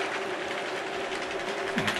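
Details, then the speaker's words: Model railway freight train (British diesel locomotive hauling wagons): fast busy ticking clatter over the steady running hum as a wagon next to the guards van runs with a wheel derailed, possibly knocked while handled by hand. "I can steal her wheel off you know which I'm very surprised because I was very careful moving these by hand earlier I'm sure you can hear that okay"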